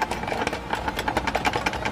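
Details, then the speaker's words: Suzuki Splash power folding mirror whose internal latch has come loose so it won't lock: quick rattling clicks, about seven or eight a second, while the mirror motor runs; broken folding mirror latch. "ini dia lepas karena ini juga bersuara ini kayak ada yang lepas misalnya"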